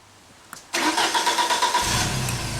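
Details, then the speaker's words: 1995 Genie Z-45 boom lift whose engine previously stalled, after fixing the joystick/control wiring: a brief crank, a clean catch, then an even, steady idle. Idle speed is good and fast idle works. A normal start and idle. "Starts up, it idles fine now. Idle speed is good. We can go to fast idle."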